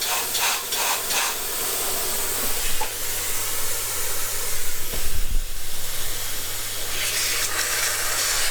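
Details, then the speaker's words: Saab 9-5 Aero converted to rear-wheel drive, turbo system pressurised with a compressor for a leak test: a loud, steady rushing hiss of air blowing straight out of the underside of a boost pipe; major boost leak. "Yeah. On the under side right here, it's blowing straight out. This is not like a small leak. This is like major. Can hear it. It's blowing straight out and still the car has ran quite okay."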